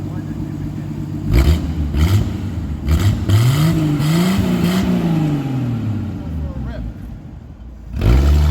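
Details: 1982 Ford Granada 2-door, choke on, throttle blips: loud, raw, bass-heavy open blat with crackle from large exhaust leak where pipe is open before the muffler, flange rotted; two leaks under car.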